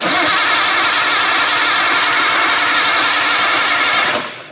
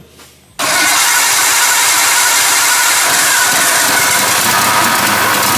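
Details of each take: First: Nissan R32 Skyline barn find, freshly reinstalled RB20DET turbo engine, first start attempt with CAS just plugged in after priming oil pressure: fast even cranking about four seconds that never catches; crank no start, no fuel delivery, feed and return fuel lines swapped. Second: Nissan R32 Skyline barn find, freshly reinstalled RB20DET turbo engine, genuine first start after lines swapped over: engine catches at once, settles to steady running with a few free revs; normal, healthy start.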